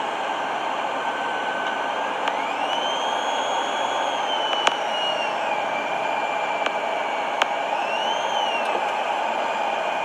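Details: 1997 Mercury Grand Marquis, recorded on a phone while driving: a thin electrical whine through the speakers whose pitch climbs with throttle. It is intermittent for years; the voltmeter drops when the brakes or lights are switched on.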